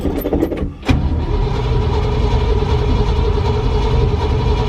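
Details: V8 truck started after sitting, owner noting he should pour fuel down the vent: short cranking bursts, then it catches into an uneven, lumpy idle, not running on all 8 cylinders, a little smoky and oily.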